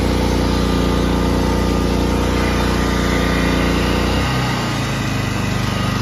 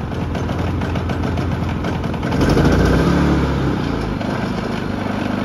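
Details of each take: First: Harbor Freight Predator 3500 inverter generator after replacing the inverter module and cleaning the carburetor. It runs steadily during voltage testing, with the note dropping and settling as load changes; even rhythm, no knocks, healthy. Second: Harbor Freight Predator 3500 inverter generator with erratic output (zero, normal or high voltage), reading 126 V: the engine hunts and surges unevenly; running badly, and the carburetor needs cleaning.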